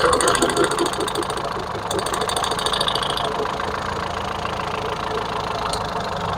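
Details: Ford Figo petrol engine that keeps stalling, idling unevenly with stumbling pulses; scan shows cylinder 3 and 4 misfires and knock sensor fault, throttle body very dirty.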